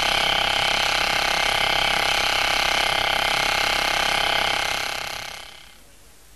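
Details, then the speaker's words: SKF 6309 deep groove ball bearing at 2,000 rpm under 20,000 N load, heard through an electronic stethoscope: steady hissing whir with fine, fairly even rapid ticking of about four per second, from mild inner ring damage. "here comes a bearing with a damaged inner ring and another damaged in a ring though this time the damage is not so severe"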